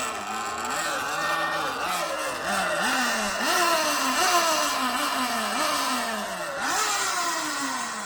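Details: Sur Ron electric bike after adjusting main drive belt tension and engine mount bolts to cure a squeak that began after the first ride: smooth motor whine swelling and dipping with throttle, no squeak or chirp; belt drive healthy.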